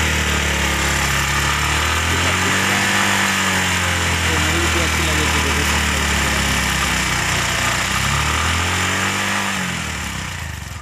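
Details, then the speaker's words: Bajaj BS6 petrol auto-rickshaw, single cylinder, after repairing a broken fuel injector nozzle wire that caused no-start and cutting out on throttle: now starts, revs up and down smoothly with an even beat, no misfire; normal running. "तो आवाज़ सुनिए, पहले start नहीं हो रहा है, अभी तो स्टार्ट हो गया है।"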